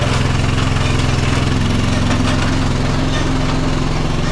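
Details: John Deere 425 riding mower, Kawasaki twin, which bogs down under load and in grass, fuel verified good: uneven, lumpy low thump at idle with a stumbling beat instead of a smooth twin rhythm; it runs on one cylinder from a failed coil.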